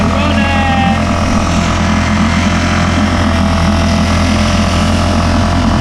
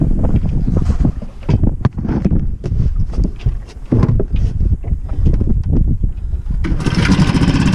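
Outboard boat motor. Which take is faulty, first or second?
first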